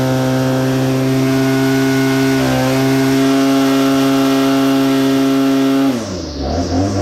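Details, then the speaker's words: Well-used BL-110 saw after throttle adjustment to cure bogging on throttle climb: strong, steady high-rev tone held through the cut without bogging, easing off cleanly; normal chainsaw cutting. "sounds good real good"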